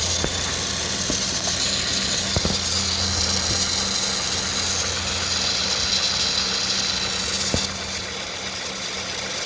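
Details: 2013 Honda Civic EX-L petrol engine idling with a steady low hum and faint buzzing rattle, which began after applying belt dressing; new serpentine belt, tensioner pulley, PCV valve and VTEC solenoid gasket didn't fix it; cause unknown.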